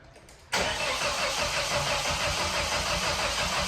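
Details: Nissan 200SX S13 CA18DET rebuilt with forged parts, first start attempt: steady even cranking about three turns a second, never catches; traced to a snapped cam angle sensor drive.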